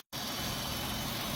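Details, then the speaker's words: Engine dropped off with codes and rough idle: loud steady hiss of sucked air over the idle, traced to the valve cover's built-in PCV valve; pulling its cap kills the engine: vacuum leak from faulty PCV valve. "that right there tells me that this valve cover is bad the PVC valve is bad in it"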